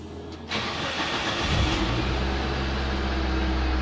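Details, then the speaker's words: Proton Waja MMC 1.6L 4G18, cold engine with low coolant temperature, ambient about 33–34°C, in neutral, after recent idle setting: short crank, catches at once and settles to a steady, raised cold idle until optimum temperature, no misses or knocks; a good cold start. "Okay, melekat, cold start cantik. Sekarang ni 33 kan, degree Celsius. So dalam cold start lah 34. So dia akan tinggi sikit."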